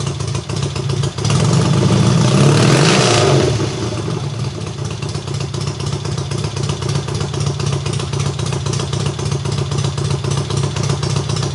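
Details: Triumph hardtail, first start after the engine sat unrun for nearly a year, full cold start on about the third or fourth kick: catches with a loud rising burst, then settles into a fast, even, very loud exhaust beat; normal cold start.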